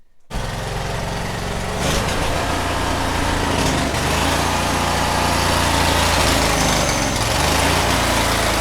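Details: Cub Cadet 1641 lawn tractor engine after carburetor cleaning and blowing out a clogged fuel line: loud, harsh, uneven hunting beat about four per second, still not running great; owner suspects it leans out, possibly a fuel pump issue, having seen a lean backfire from the carb.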